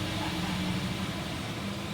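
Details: Mitsubishi Xpander just after no-crank no-start repair, started with brake pressed: steady even idle settling smoothly after catching, no knocks, misses or odd noises; normal idle.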